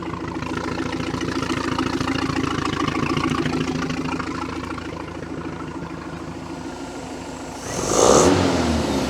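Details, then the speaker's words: 1976 Mercruiser 120 hp after carburetor rebuild, restarted after running out of fuel and refilling the tank, a few cranks to start; steady, even put-put idle about three and a half beats a second, no misses. Normal idle. "that wasn't too bad couple of wing a dangas and she's right back to singing Baby"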